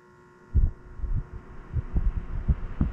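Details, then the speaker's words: Mild steady electrical hum from a Costco fan run on a Ryobi 150W inverter, with occasional soft thumps; hum is lower than on the EGO inverter, and fan speed is lower than on grid AC power. "and let's try the albie oh it's oh there's the humming sound as well but it's it's um the humming sum is lower than ego let's try"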